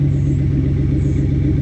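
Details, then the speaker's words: 1991 OBS truck with a cheap Flowmaster-style muffler cut in behind the Y-pipe; it smokes at startup and the owner suspects valve seals. A smooth, even low rumble with a steady beat and no knocks or ticks; fairly quiet, normal running. "I mean it don't sound bad it's pretty quiet actually"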